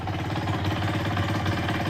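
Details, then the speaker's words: KSR Moto with AM6 50cc two-stroke, seconds after first start, cold on choke: fast, steady idle with crisp even popping and no knock; it started very nicely. "a zapalił bardzo ładnie naprawdę to pomoc paliwo parę obrotów na ssaniu zaczyna chodzi"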